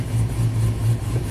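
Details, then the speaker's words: Tuned 2000 GMC Sierra 5.3 V8 with aftermarket camshaft and exhaust, after fixing CKP sensor improper installation (rust pushing sensor, air gap) and crank relearn: deep lumpy loping idle, no stalling or stumbling; misfire and stalling fixed. "amazing this truck is fixed"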